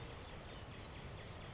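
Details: Minelab Equinox metal detector back in airplane mode: quiet threshold with no chatter or false signals, just faint outdoor background; chatter traced to interference from transmitting near the main module.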